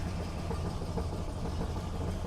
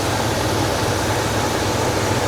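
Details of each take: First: 1971 Buick LeSabre Custom 455 V8, cold start with choke set: lumpy, uneven low puffing at idle with occasional pops; rough exhaust note, exhaust may be leaking. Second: 1971 Buick LeSabre Custom 455 V8 warming up after the carburetor was swapped, idle screws not yet adjusted: steady, even idle with a smooth low rumble and no misses or knocks, running better.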